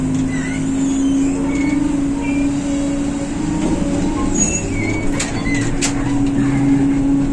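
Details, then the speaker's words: 1993-built ZIU-683 articulated accordion trolleybus in Ryazan, riding aboard: constant low converter hum with brief high squeaks from the articulation joint. "彼は軋み、ぼろぼろでぼろぼろです。悲しい絵。トロリーバスが修理されることを望みますが、むしろ廃棄されます。アーティキュレーションのきしみ音、コンバーターのハム音"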